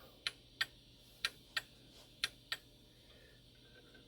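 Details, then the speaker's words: Shanghai 555 pendulum clock after cleaning, moved while setting up: ticks in uneven pairs, short gap then long, about one per second; clock knocked out of beat. "He's out of beat again, just from me moving it around like that."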